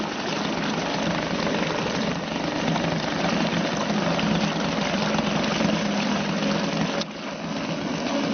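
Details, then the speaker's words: Suzuki DT 2.2 HP two-stroke outboard in a test tank ticking over with the fuel turned off, running on remaining carburetor mixture (about 4 minutes); steady even idle, no misfires, running normally. "On tick over like that, it will run for about 4 minutes, so I don't think you want to, everything's turned off, it's still running away. Just shows it's a very economical little engine."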